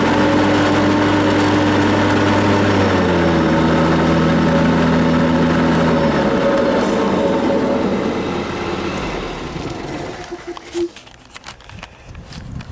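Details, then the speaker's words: Ferris mower after blade replacement and clearing built-up debris from deck: steady even blade whir over deep engine note, then smooth wind-down; deck sounds healthy. "I heard that fan noise. It sounded a lot better. It's gonna throw grass out of the side now,"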